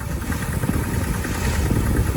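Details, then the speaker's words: 1987 Ford F-150, 4.9 L (300 cid) inline-six, running on five cylinders: rough, uneven idle with loose clickety-clack clatter over the low rumble; engine considered done, to be swapped. "And then you can see it's running kind of rough, unless even when I it runs a lot rougher than front idle. You hear that clickety clack?"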